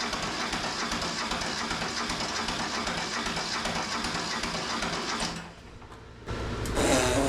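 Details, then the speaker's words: Neglected Mitsubishi MT372 diesel tractor, long sitting, cranking on a weak battery with charger: rapid churn of about four compression beats a second, never fires despite black smoke; later traced to a loose injector line. "She needs to start before the starter gives up. I don't understand why she's not barking off. I would have thought she would have fired already."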